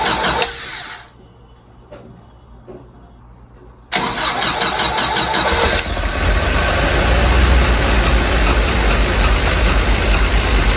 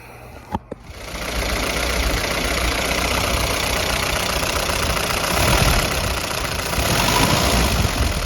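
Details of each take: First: 1952 Willys CJ5 with rebuilt F-head, new Universal Daytona carburetor and fresh tune-up after years sitting: cranks a few seconds, catches, then holds a fast, loud idle that never drops back; owner suspects the throttle is sticking open. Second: 1952 Willys CJ5 with F-head engine and new Universal Daytona carburetor: a couple of clicks, then it catches and settles into a steady, even idle with no obvious misfire; sounds healthy.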